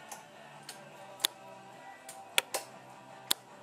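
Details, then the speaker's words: 2009 Kawasaki KLR650 with a newly installed 12 V 40 A four-blade relay for the heated grips: crisp clicks as the key switch cycles on and off, the relay's electromagnet switching normally. "does the job and you actually hear like a little click from the relay whenever the key switch is turned on off"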